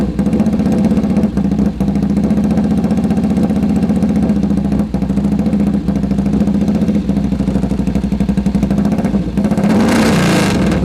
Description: First start after the full rebuild on the sidecar engine. Pretty sharp.